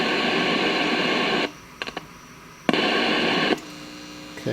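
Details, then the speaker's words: 1971 JCPenney 1758 solid-state stereo, traced with a 1950s tube signal tracer: harsh even hiss appears when the probe touches and drops when lifted; transistors 26 and 28 noisy, mainly 26. "okay so 26 and 28 are the ones that are making most of the noise it seems to be 26 mainly"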